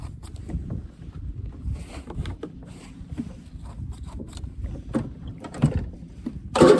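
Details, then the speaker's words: Used zero-turn mower: uneven, labored cranking drags for several seconds before finally catching; intermittent hard starting problem. "And the last issue that this had is sometimes you'll go to crank it, and it takes so long to get it started."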